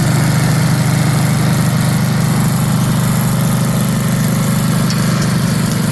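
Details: 1982 Snapper Comet riding mower, 8 HP Tecumseh electric start, after restoration with everything reported operational: low, regular thump roughly three to four beats a second, smooth and unbroken; healthy, even idle.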